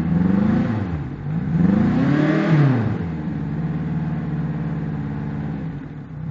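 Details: Yamaha 90 outboard with 1400 hours: revs surge and sag unevenly over a clattery, uneven beat instead of a smooth hum; it is running rough because the injectors are dirty.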